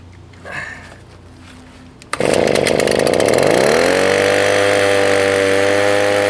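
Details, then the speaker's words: Echo PB 200 leaf blower (roadside find): cold start catches sharply, revs climb then settle to a steady buzzy drone slightly short of full speed; slightly low revs, dirty air filter suspected, primer bulb and fuel line also worn. "works good it sounds like maybe it could rev a little bit higher maybe that air filter is dirty"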